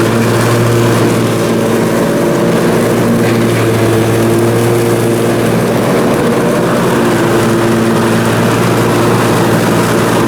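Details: Briggs & Stratton Intek M44 twin engine after a full twin-carburetor tear-down and clean, under mowing load: even, steady low drone, no hunting or surging in speed; sounds way better. Normal running after repair.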